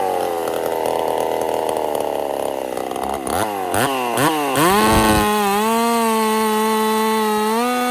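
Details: Husqvarna 50 Partner 5000 hybrid race chainsaw, first cuts after a rebuild with a machined piston taper, in wood too big for the bar: bogs steadily in a deep cut, then clears to an even, clean high rev. Normal cutting under load.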